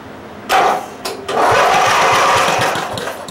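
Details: Briggs & Stratton lawn tractor engine after carb rebuild, new air filter and pre-cleaner, won't hold idle; coughs and catches twice, then ragged uneven putter; rough running, owner suspects weak spark, not confirmed.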